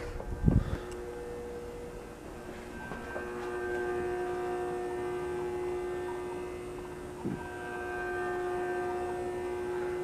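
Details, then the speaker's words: Safer-made Airmaster industrial ceiling fan, revived after stiff bearings and a blown capacitor, on low through a solid-state speed control. Faint hum with a clear fixed-pitch buzz over it. Loud winding buzz from the solid-state control; varnishing the windings is suggested as the fix. "Oh yeah, it's definitely a loud buzzing on low here with the solid state. And I've been told the best thing to do to get rid of that kind of buzz is to varnish the windings."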